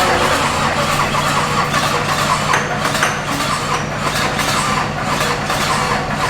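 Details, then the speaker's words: Wrecked Duramax diesel for K20 swap, jump-started on starting fluid spray: rough, labouring, barely running, won't settle to idle; hard starting, owner suspects electrical, computer or sensor issue. "feel like this made it worse now mind you we could be running into electrical issues could be a computer issue could be a sensor issue"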